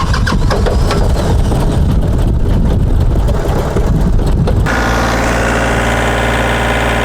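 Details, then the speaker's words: TYM 413 HST 4WD diesel tractor restarted after misfuelling, injectors not bled: heavy ragged clatter and smoke for a few seconds, then settles to a steadier even idle as clean fuel gets through; rough running after misfuelling. "I'm sure it's going to run rough a little bit to start with, but hopefully once a bit of that gets through the engine and through the line, it should be okay."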